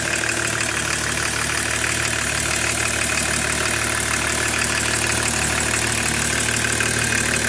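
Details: E36 325td diesel idling: a steady, fairly regular tapping at about three per second over the diesel clatter. Engine noise at idle, cause suspected but not confirmed.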